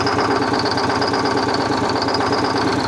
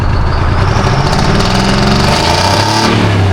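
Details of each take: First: Excessive crankcase blowby on a worn Detroit Diesel 6V71 two-stroke after reaming and reinstalling an injector: rough uneven idle, hollow chuffing pulse and constant high hiss; blowby unchanged, still a hurting engine. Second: Detroit Diesel 6V71 after injector reinstalled: blips up and drops to steady idle with deep, solid exhaust note, no leak puffing; blowby still not improved.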